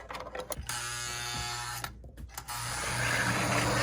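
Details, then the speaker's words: Lionel 736 Berkshire model locomotive motor whirring with a labored, gritty gear noise, running tight and needing service. "This is the one that needs to be serviced. I can just tell from, it's tight."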